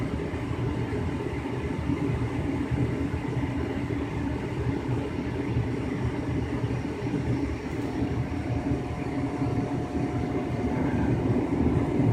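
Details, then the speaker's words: 2005 Lennox Elite series 90,000 BTU gas furnace in heating mode, after burners lit: steady, even rush of air over a constant low rumble; furnace blower running smoothly, normal operation. "so i'm gonna wait for the blower to come on now which sounds really cool in heating mode"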